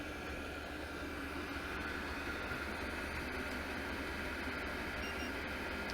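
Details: $105 12V diesel heater running at full fan in about 10–19°F cold, with outlet air around 202–213°F; steady even rush of air with a low hum underneath, no knocks or rattles: normal running at full fan.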